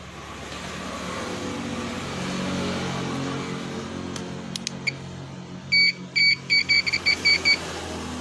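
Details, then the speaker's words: Continuity buzzer tester probing Yamaha NMAX 155 (old model) wiring at the ECU socket while diagnosing error code 61 (ISC fault). Short, high, evenly spaced beeps over background hum: continuity, wire connected. "berarti kontinuitas eh eh maksud saya jika baset berbunyi seperti ini berarti ada kontinuitas atau kabel body tersambung ya"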